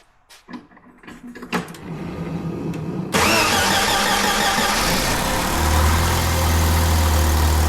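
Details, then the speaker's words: 1993 Jeep Wrangler YJ 2.5L, sat over a year with a low-idle problem, timing previously about 15° off and now set to 8°: it cranks, catches and settles into a low, uneven idle. A vacuum or exhaust leak is suspected. "Well, see, that's what I've been dealing with. And we're right at 8 degrees. Okay. Looks like we're gonna have a vacuum leak."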